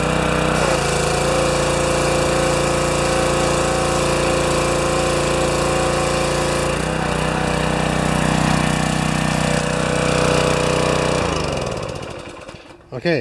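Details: Pressure washer, 4 HP vertical-shaft engine (2200 PSI, 1.9 GPM rated), replacement 2.2 GPM pump fitted, after an adjustment of about a turn; steady, even drone holding speed under load, no surging or knocking, until shut off near the end.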